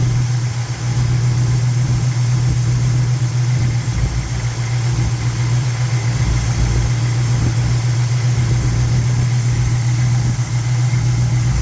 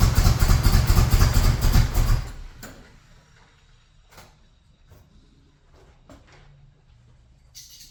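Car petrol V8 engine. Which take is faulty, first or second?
second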